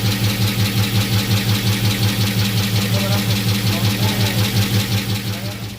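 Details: Box Chevy 5.3 V8 at idle: a regular low thump beats steadily a few times a second over the idle; an engine knock, source not yet identified.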